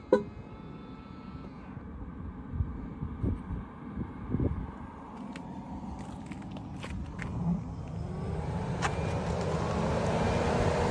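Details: 2022 Tesla Model 3 rear-wheel drive with heat pump, defrost on, heard from outside on a warm day: quiet low rumble, then a soft fan-like whoosh and hum swelling and holding even; normal defrost operation.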